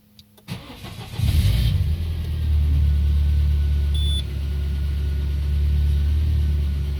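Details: Peugeot 407 2.2 petrol, cold start after a piston ring replacement, valve lapping, valve stem seal replacement and auxiliary air channel cleaning, on Total 9000 5W40: rough idle with a faint tapping about four times a second; a new cold-start knock, cause unknown.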